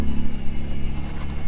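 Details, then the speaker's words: 1997 Camaro V6 rescued from the crusher, now firing on all six cylinders: a deep, even exhaust rumble with no skips, and some haze from the exhaust. The ignition control module and coil pack assembly are identified as the earlier problem. "oh yeah I definitely feel that thing is running on six cylinders now it is running pretty okay"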